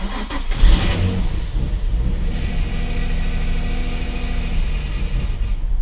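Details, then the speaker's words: Nissan 350Z/Infiniti G35 VQ engine: brief cranking, stumbling catch into uneven lumpy idle; long crank and rough idle from failed camshaft position sensor. "if your car is not starting if if your car takes forever to crank there's no idling make sure to finish watching this video it is an easy simple fix for your VQ your 350Z G35"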